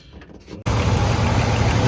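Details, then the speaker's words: Buick Riviera boat-tail, with fluids topped up and oil pushed through the lifters: the engine catches and settles into a smooth, even idle with quiet lifters and no valvetrain tick; runs fine. "all right we've got all the fluids up power steering fluid in there transmission fluid sounds like it's running pretty fine steers nice and easy I love it"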